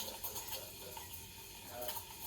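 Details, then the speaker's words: Breville Dual Boiler BES920 steam wand held at an angle near the milk surface: a steady airy hiss with light gurgling as air is injected into the milk for frothing. Normal milk-steaming hiss. "this sound means that it's injecting it incorporating into that milk"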